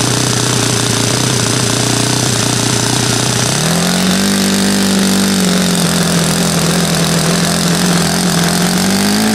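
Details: Saito FA-100 glow four-stroke after rebuild (new bearings, gasket set, tappets; exhaust tappet was mushroomed), APC 14x6 prop, Omega 10% fuel, OS F plug: even buzz holds, then climbs smoothly to higher revs around four seconds and stays clean; healthy.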